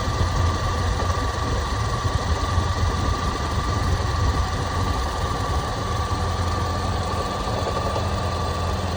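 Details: Toyota Prado 120 2.7 2TR-FE, warm idle, 30,000 km after overhaul; oil pump, hydraulic lifters, VVT-i valve and tensioner replaced, bottom end found fine, oil pressure ~1.2 warm; deep rumble with faint irregular knock, cause unknown, at times intermittent.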